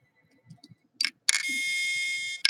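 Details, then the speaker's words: Crashed SATA hard drive powered through a USB reader adapter from a power bank; sharp clicks, a brief high whine as it tries to spin up, then another click: failed drive, click of death. "if you can hear that on the stream, that is what the sound of a bad hard drive is. Okay? If you hear your computer ever making that noise at all, that is a bad sign, which means your hard drive is done."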